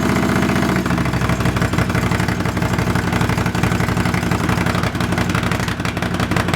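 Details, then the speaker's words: Honda CX500 café racer twin, after swapping a dirty fuel filter and colortuning the carbs (pilot screw about 2.5 turns out, slight flat spot right off idle): a loud, steady, even twin idle with no hunting. Runs and idles fine. "it's running fine now as you can hear it's loud it's so loud it's idling fine as well"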